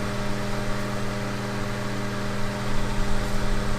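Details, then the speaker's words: 2004 grey Duracraft turbo desk fan with a 0.6 A motor, before restoration, on high full power: smooth, constant motor hum with an even airy rush that rises slightly. Spins freely. "all right let's go and get up to High full power oh yeah really really nice little fan there"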